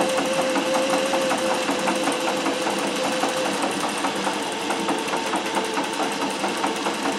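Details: Singer 411G on a treadle with a custom heavy balance wheel, sewing built-in decorative stitches such as the pyramid stitch. Quick, even clatter at about 2.5 beats per second with a light needle tick; normal healthy running.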